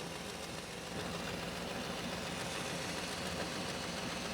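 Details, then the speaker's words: Rough 1987 Chevy C10 305 V8, first start after sitting: loose rapid ticking puffs at idle, about three to four a second. Slight stutter, with a wobbling distributor cap. Plug wires were melted to the exhaust manifold. Suspected exhaust leak. "And we do have an exhaust leak. Y'all hear that?"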